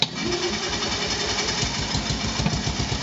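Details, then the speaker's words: Isetta high-compression engine with dynastart, after new HD electronic charge/starting relay, rewired connections and 600 CCA battery: starter cranks briskly with strong even pulses and fires without hesitation; starting problem fixed. "but now it really cranks i'll demonstrate it for you here so turn the key charge light comes on"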